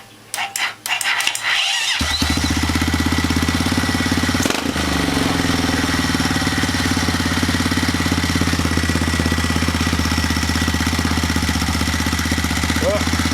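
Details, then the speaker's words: 2010 Honda Rancher 420 bottom end with a 2020 Foreman 520 cylinder, stock 420 fuel system and 53% gear reduction, on first start with a weak starter. Slow cranking, then a fast, lumpy single-cylinder idle with a rattle from the rear; cause not yet found. "alright guys making a little bit of noise on the backend sounds like there we'll figure that out it runs"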